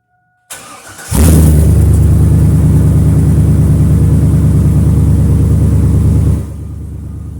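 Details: 1999 Silverado at first start after a new muffler and tailpipe were welded in: short crank, catches straight away, settles into a steady, deep, even idle with no blowing, rattling or popping from the exhaust.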